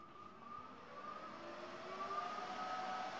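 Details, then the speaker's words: Firepower FP-200 MIG welder powered up, cooling fan apparently at full speed with no auto-adjust: soft steady whir rising slightly then holding even; normal fan, quieter than a Miller Dynasty. "the fans actually pretty quiet it might sound louder than it really is if I assume that's full on so the fan doesn't like auto adjust and that's pretty quiet"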